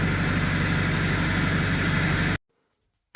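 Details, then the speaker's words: 2001-2016 Duramax diesel truck after fuel filter change and oil fill, good oil pressure: steady low diesel rumble with an even beat about four per second, no knocks or misses, then cuts off; normal idle. "okay start it up and see what we [Laughter] got got good oil pressure"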